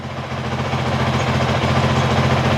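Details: 2023 Honda CRF450X after San Diego Powerhouse thermostat delete kit and emissions delete, 5-minute idle test, no coolant leaks: steady, even single-cylinder idle with smooth low thrum, no knocks or misses, sounds about the same as before; normal.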